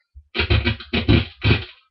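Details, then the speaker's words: Fender Stratocaster with single-coil pickups: guitar signal through the amp cuts in and out with abrupt pops and crackle when the guitar is moved, pointing to a faulty output jack needing replacement. "hear that that kind of popping that means that um there's some kind of issue at the Jack now this really isn't that big a deal to fix"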